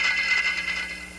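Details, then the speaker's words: Thermodynamic steam trap failure: hissing steam with rapid chattering of the disc, blowing steam through. "failure of a thermodynamic trap will be characterized by a rapid shattering of the disk"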